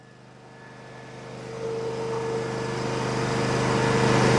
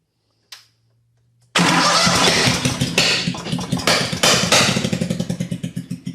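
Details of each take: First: Miller Trailblazer welder's 27 hp Kohler engine, which had backfired and sputtered through the carburetor without starting, after repair: runs on a steady, even beat that builds smoothly in loudness with no misses; normal running. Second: Miller Trailblazer welder with 27 hp Kohler engine that tries to start but backfires and sputters through the carburetor despite 150 lb compression; cranks into loud irregular popping and spitting fading to slow coughs, traced to a dislodged valve cap under the valve cover.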